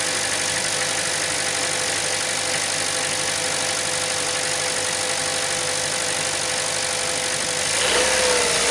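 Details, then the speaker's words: 2012 Chevy Cruze 1.4 L after fixing a cylinder 4 misfire (P0304) with new spark plugs and a new ignition coil assembly, corrosion found on plugs 3 and 4: even, steady idle, constant pitch, no stumble; runs smooth. "sounds like it's running pretty smooth I'll take it for drive and check it out under under load let it warm up a little bit first"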